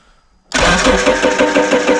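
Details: 1999 Dodge Neon with swapped 2.4 turbo SRT-4 engine, out of storage, after confirming coils spark: steady cranking rhythm, never catches or fires; crank no start, no fuel reaching it.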